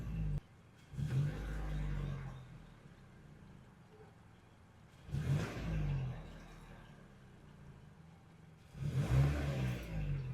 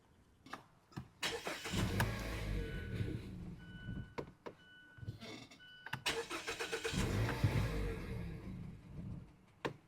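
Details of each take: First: 2013 or 2014 Mazda CX-5 after replacement with an OEM Mazda MAF sensor: three clean throttle blips, each falling back to a steady idle of about 660 rpm in park (650 desired); no codes, normal revving. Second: 2013 or 2014 Mazda CX-5 that stalls in drive, faulty MAF sensor with what looks like a broken internal resistor, gives repeated cranking bursts, catching briefly, revving unevenly and dying; hard start and stalling from the failed mass airflow sensor.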